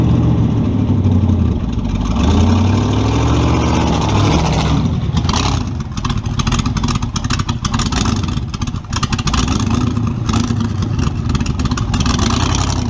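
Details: Model A with a 350 small-block Chevy (hydraulic roller cam, 9:1), tunnel ram with two Edelbrock 600 cfm carbs jetted lean, in a driveway test: revs climb, then go ragged and stumble at full throttle; owner unsure if rich or lean.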